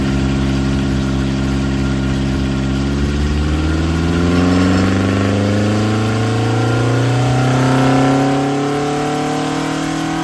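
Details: Ford Crossflow engine with twin 40 DCOE carbs, Kent 224 cam, Vulcan head, first dyno power run at conservative 26° ignition advance while bedding in; note climbs smoothly and evenly under full load, no knocks or misses; healthy, 115 hp, 118 lb-ft.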